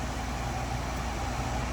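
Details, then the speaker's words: RV heat pump (6538) with a suspected bad control board, just switched from air-conditioning to heat pump mode: reversing valves shift and amp draw changes. Steady even hum, low rumble and airflow hiss with no rattles or squeals. Normal heat pump operation. "All right, so we're going to let it run here for a few minutes. You can see the amp draw changed on that, just because it's reversing the flow of Freon here."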